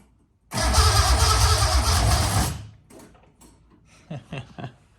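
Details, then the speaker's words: Datsun 260Z with newly installed L28, starter solenoid wire found loose: steady even cranking about two seconds, regular chug near three per second, turns over freely but doesn't catch; fuel system not yet done; normal cranking, no start. "take that off, replace the head on it, put it on, and well, get everything else going because it turns over."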